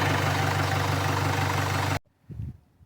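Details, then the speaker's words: 2016 Jaguar F-Pace 2.0 Ingenium 204DTD diesel after timing chain kit replacement for code P0341-92: steady, even idle with smooth low beat, no tapping or rattle, quieter than before; no codes after 300 miles. "So I'll fire it up and see what it sounds like. Sounds all right. [Applause] Think less quieter than it was before."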